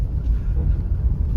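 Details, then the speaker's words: Honda City test drive after double-tape packing and sound-deadening of trim against an unbearable rattle; steady low road rumble only, no buzzing or rattling from the upper cabin trim, quiet inside. "अभी देखते आवाज़ ए रही है की नहीं ऊपर की हिस्से से तो बिल्कुल नहीं ए रही आवाज़ फिलहाल के लिए तो"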